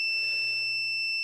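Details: Intellitec BD0 RV battery-disconnect latching relay on the bench after cleaning and lubrication fixed its sticking; steady piercing high beep over a faint low hum while it is switched on and off; cause of beep unknown.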